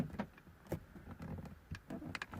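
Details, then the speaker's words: 2009 VW Golf whose interior lock button would lock but not unlock: scattered clunks at uneven gaps, locks cycling only when button pressed harder; intermittent central locking, button fault suspected. "nothing happens now at this point i could grab the scanner and check live data see if i had a signal from the button try to figure out where my problem was however look what happens when i press a little bit harder"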